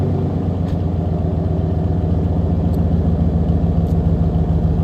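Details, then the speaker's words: 1994 Chevrolet Silverado V8 with catalytic converter removed and straight pipe fitted: deep, very loud unmuffled lumpy idle; broken-up converter had caused bogging and long shifts. "But I'm just gonna turn it on real quick and let you guys hear it. It is fucking loud."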